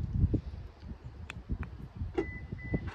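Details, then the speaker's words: 2021 Subaru Outback key fob after going through the washing machine: two quick high beeps as the car unlocks. Normal remote unlock chirp; the fob still works. "all right we hear the double beep all right so it unlocked the car"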